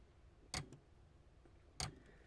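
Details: 3DO FZ-10 console CD drive: two sharp, isolated ticks about 1.3 seconds apart over near silence. The disc spins but the laser sled/drive head doesn't move; sticky old lubrication was suspected, but now a failed motor or an off gear is suspected.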